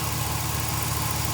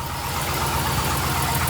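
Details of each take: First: Cateye Chevy truck LS V8 at idle after replacing the lifted cheap exhaust manifold gasket, tightened middle-out: steady even burble with no ticking or puffing, so the exhaust leak was coming from that gasket and is now gone. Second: LS V8 truck at startup idle, before repair: sharp quick ticking over the idle, exhaust manifold leak from broken bolts, to be fixed with a bolt-on clamp.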